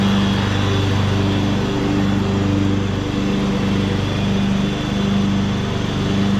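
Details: 2014 Ariens (Husqvarna) 42-inch-cut riding mower, revived from scrapyard parts machine, cutting grass under load: steady, even drone holding speed, no misses or knocks; healthy, only needs a couple of small things.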